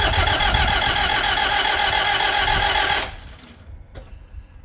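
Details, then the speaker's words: Diesel cranked after fuel filter change and priming: starter spins evenly for about three seconds without catching, then cuts off; sounded like no compression, cause unclear. "just fire it up [Music] that sounded like it had no compression that was"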